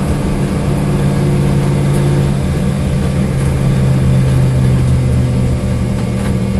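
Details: Corvette V8 with a misfire at idle: deep, lumpy, uneven idle beat with occasional dropped pulses.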